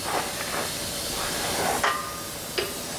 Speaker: now I do have an air leak as you can hear and no I'm not going to fix it before I work I'll turn my air on and off when I need it so